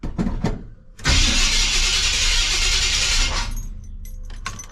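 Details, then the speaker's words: Chevy C10 454 big block, its replacement starter refitted with all shims removed. A smooth, even two-second starter whir with no clank or grinding on engagement: normal cranking. "Wow, sounds like ain't nothing wrong with it. I mean, that's just how the starter sounds."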